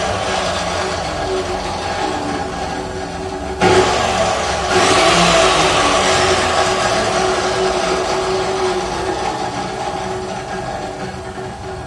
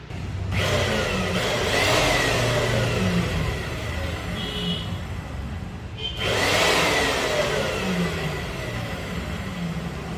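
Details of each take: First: Cut-off machine about three to four months old: loud dry whine over the motor hum as it runs and winds down, with no gear rubbing or worn-gear grinding; the gearbox is noisy from lack of grease. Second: Cut-off machine after greasing its noisy, grease-starved gearbox (gears not worn or rubbing): motor spins up twice to a smooth, even whir with no grinding or gear rattle; gearbox now quiet, free and healthy.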